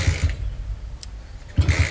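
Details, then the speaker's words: Honda CB100/GL100 single-cylinder bike freshly fitted with a CPO PE 26mm carburetor, not yet tuned: uneven, sputtering low thumps with stumbles, hard to start, rough idle. "bawaannya itu masih susah hidup dan juga masih dalam keadaan berebet-berebet kayak gini nih barudak."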